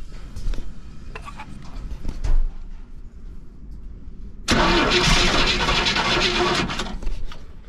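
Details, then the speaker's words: Motorhome engine with HEI ignition after sitting over 10 years: cranks with quiet catches and pops, then roars briefly on starting fluid; ignition good, fuel starvation. "well guys at least we know that it turns over now and it wants to fire we know that the ignition system is good"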